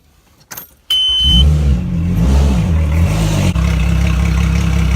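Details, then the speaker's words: Mercury Verado outboard after oil change (7.4 quarts), run on flush ears with water: brief crank, quick catch, small rev, then smooth even idle without knocks; oil pressure good, no leaks. "All good. Oil pressure good. No leaks."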